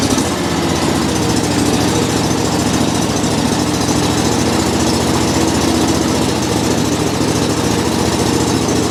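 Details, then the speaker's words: John Deere 345 cold start after sitting over a week in cold weather, choke on. Sluggish, slow, even cranking; battery hates the cold and oil is cold and thick. Once running, exhaust is slow and steamy. "it starts really slow it's so cold that it exhausts it slow and steam like a car does it's really cold this tractor is not a fan of the cold"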